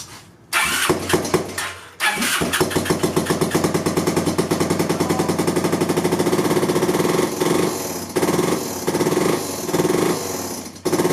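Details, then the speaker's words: 2002 Yamaha Breeze 125 quad after rebuild for a bent valve (new valves, piston rings), starting up: fast, even ticking over the single-cylinder idle tracking engine speed; owner suspects a dry timing chain, not mechanical, unconfirmed. "that sounds like the timing chain doesn't sound like it's anything mechanical it sounds like the timing chain maybe is drier for whatever reason"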